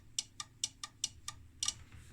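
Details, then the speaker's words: IMPO dual bench power supply, 25V 1A, dated 1968, with its output pre-loaded by a bulb: crisp, sharp clicks about every quarter second as the voltage is wound up, the transformer tap relay stepping between windings normally. "and then is it that one yeah so here's a relay so there's a tap on the Transformer"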